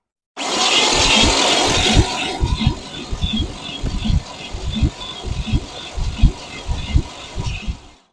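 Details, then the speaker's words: Used $450 Chevy small-block 350 V8 for a 1969 Camaro, freshly oiled: harsh whirring grind then uneven heavy thumps while cranking as the starter fails to disengage; a shim may be needed, flexplate knock suspected. "oh the starter is not disengaging might need to shim maybe we ought to shim it"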